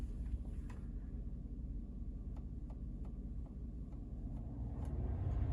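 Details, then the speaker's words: 2017 Sierra blower motor just replaced with a new fan, heat on: a steady, even low whoosh with no squeal, ticking or rubbing over faint cab rumble. The new blower runs smoothly and normally. "Oh yeah, do you hear that? And we're back in business, just in time for the cold."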